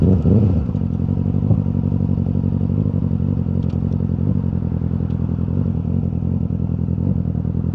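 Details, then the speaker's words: Yamaha R6 four-cylinder while riding: deep uneven drone with lumpy stumbling beat; rider says one cylinder is misfiring. "Mungkin suara mesinnya terdengar agak enggak enak gara-gara pincang satu ini."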